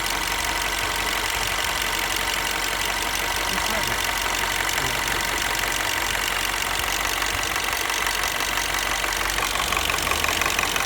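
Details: 2008 R56 Mini Cooper S after a new timing chain, warm idle: a light, fast ticking that comes and goes over a hissy top end. Quiet when cold, performance good, no noise when revving or accelerating; the cause is unknown.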